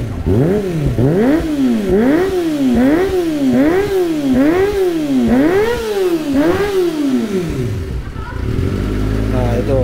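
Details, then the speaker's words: Kawasaki ZX25R with Yoshimura exhaust, during checks before touring, about eight quick blips with revs rising and falling cleanly, crisp even note, no knocks or rattles; healthy engine. "udah sehat lagi guys Jack mah udah mulai enak lagi ya begitu jadi sore udah mantap lagi Ini udah mulai berbobot"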